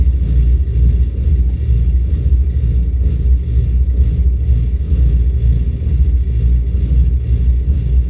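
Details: Volvo 8700 bus diesel with ZF Ecomat automatic that won't engage neutral at idle: deep rumble at very low revs with slow, uneven pulse, dragged almost to stalling as the gearbox stays in drive.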